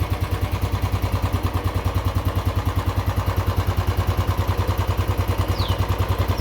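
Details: Royal Enfield Classic 350 EFI single at idle: uneven, lumpy thumping at about 200 beats a minute with unstable, slow rpm, suggesting an ignition misfire; cause suspected, not confirmed.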